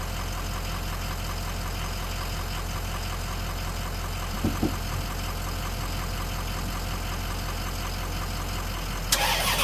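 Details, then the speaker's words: Toyota Tundra farm truck after a tie rod end replacement and driveshaft reconnection, started on a weak battery after 5–10 minutes of charging from another vehicle: a steady, even engine note with one brief clunk midway. Normal running. "on and just like that we have a running farm truck awesome I'm super happy"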